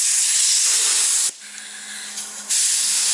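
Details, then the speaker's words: Semi truck ("Big Blue") in shop during service: sharp, loud continuous hiss that cuts out about a second then returns; compressed air leaking around a worn fitting that seals when pushed down and needs replacing. "well I think I got her it's leaking around here I need a new fitting on here"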